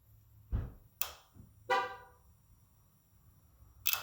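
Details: 2005 Yamaha R6 that won't start after sitting about 3 months, new battery and plugs fitted, fuel pump primes with key on: sharp, irregular relay-like clicks when the kill switch is pressed; owner suspects the fuel relay, unconfirmed.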